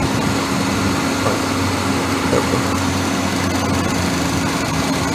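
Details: Car about 100 miles after adding Blue Devil rear main seal stop-leak, leak now dry; idling a long while, steady even hum with no misses, knocks or stumbles; normal idle.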